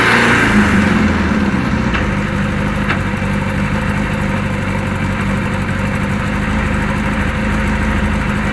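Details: Kawasaki KZ1000 police bike, inline-four, cold with choke off, charging 13.8–14.2 V, ignition wiring and grounds checked: lumpy, stumbling uneven idle instead of smooth, some vibrating noise at left; cause unknown. Rough idle.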